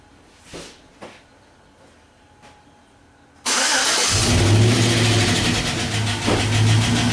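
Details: 2012 Chevy Silverado 5.3-liter with Active Fuel Management, recently given new spark plugs: it cranks, catches and idles with a steady light tapping under the rumble that gets louder at higher rpm. This is consistent with a collapsed intake lifter.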